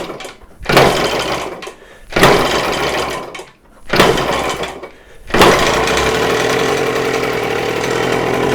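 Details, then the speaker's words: 48-year-old Yamaha DT100 100cc two-stroke, after rebuild with homemade base gasket: revs rise then sag in bursts, never clearing crisply; the work made no difference, owner suspects exhaust restriction (otherwise ignition timing) and will test with exhaust off. "not convinced that anything I've done has made any difference I think the only thing it still can be is uh exhaust so I need to get exhaust off and try it without the exhaust"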